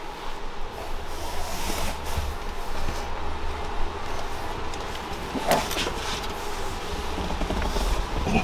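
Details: Mk2 Toyota Supra, first start after new Exedy clutch replacing badly slipping one and transmission refitted: low, steady rumble holding an even idle, no slipping, chatter or grinding; normal idle.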